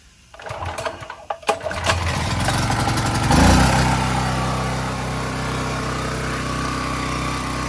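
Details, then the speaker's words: AC Delco 3500-watt generator cold start after no-spark diagnosis and carburetor fixes: a few pulls catch, engine fires and settles into a steady, even run without misses or surging; normal healthy cold start. "some carburetor issues had to work out but um it is running now and it's actually a cold start i'll uh turn it on"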